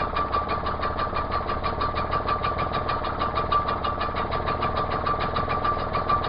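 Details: Outboard on Achilles 24ft sailing yacht after fitting correct B7H spark plug in place of wrong B6HS, choke off: steady, even idle at about three beats a second, no misfire or stumble; normal idle.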